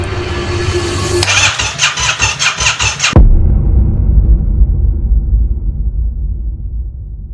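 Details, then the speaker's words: Yamaha FZ-07 first start after full rebuild to the frame: fuel pump primes, starter churns briefly, then the twin catches and settles into a steady, even idle; healthy first start. "Man, there's nothing as good as that feeling when you finish a big project like this and it starts right up, first"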